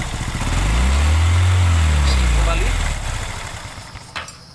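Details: Honda Revo Absolute/Revo Fit injection motorcycle engine after rebuild with crankcase replaced: catches into deep even putter, no knocks, ticks or rattles, head cover off while checking oil circulation rises; healthy idle.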